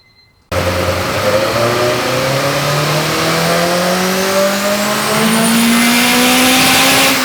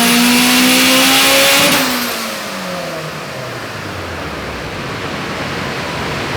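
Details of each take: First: Turbo Honda on the dyno with a PTE 6266, CTR cams, 1000cc injectors and 9:1 pistons: revs climb hard, then break up raggedly near the top; a high-rpm miss is suspected, and the plan is to gap the plugs down. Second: Turbo Honda on dyno with unique turbo manifold, PTE 6266 / S300 turbo, CTR cams, 1000cc injectors, 9:1 pistons/rods, 14 psi boost: smooth high-revving scream at top, clean wind-down, no misfire; weird powerband, not full boost until about 7000 rpm.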